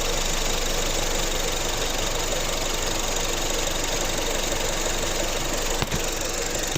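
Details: 2015 Honda Civic at idle: steady idle with uneven, fast light knocking around three per second over the engine hum; abnormal engine noise, source not pinned down by ear.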